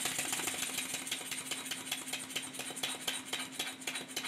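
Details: Stuart 10H steam engine on a test run, timing not yet perfect, a bit tight, crankshaft bent: quick, light ticking beat with uneven exhaust rhythm; slide valve out of place relative to the ports, eccentric rod disconnected to reset.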